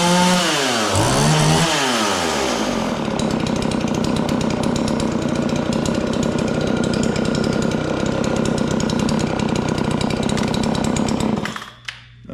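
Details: John Deere CS40 chainsaw just after installing a replacement chain oiler, hard starting, maybe not fully warm. Revs swing, then settle into a rough, stumbling lower run. It idles fine but bogs on throttle. Owner suspects the carburetor; the fix attempt failed.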